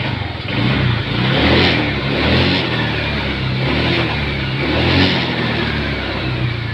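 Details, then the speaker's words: Honda Vario 150 scooter after a new piston install, test revs once finished: the engine picks up cleanly on each throttle blip and settles back smooth and even, with no knock or rattle. Normal revving. "Ini bisa teman-teman dengarkan suaranya ya. Ini suaranya udah halus, tidak ada masalah."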